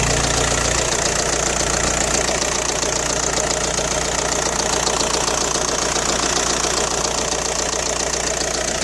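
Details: Audi A4 B6 1.9 TDI AWX diesel at idle, noisy since injector O-rings and copper washers were replaced: sharp even metallic clatter at engine speed, harsher than normal; cold-start smoke gone but power seems down; cause not found.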